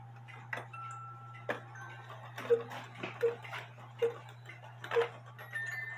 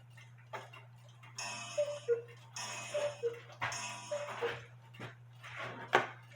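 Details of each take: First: Cuckoo clock with a 450 gram weight where the movement calls for 320 grams; quick, evenly spaced two-tone calls over a steady low hum: the cuckoo calls too fast because the weight is too heavy. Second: Cuckoo clock with the correct 320 gram weights replacing 450 gram ones; clear ringing gong strikes over steady ticking, no buzzing: gong strike properly adjusted.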